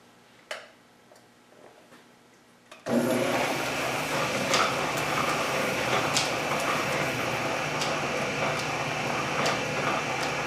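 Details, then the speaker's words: Refurbished Canedy-Otto drill press set to lowest speed and lowest feed: motor spins up to a steady whir with a light tick about three times a second, the extremely loose belt slapping; loose drive belt needs tightening. "well it's a live the belt is extremely loose it actually doesn't go at all"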